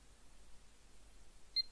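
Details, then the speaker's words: Asus H97M-E board with i7-4770, DDR3-1600, previously powered on but wouldn't boot, now testing with one channel A DIMM (8 GB): one short high beep at power-up then quiet; normal single POST beep, it boots. "oh yeah bleep it did bleep that time yeah that's uh that's booted"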